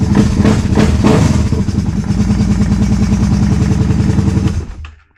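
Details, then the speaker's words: 2011 Kawasaki Brute Force 750 4x4 fuel-injected ATV, dealer front end rebuild with diff lock not working, possible broken piston skirt: engine fires into a pulsing run with a steady whirring whine on top, then shuts off; source unclear. "Listen to all that. Sounds like we're firing up a spaceship."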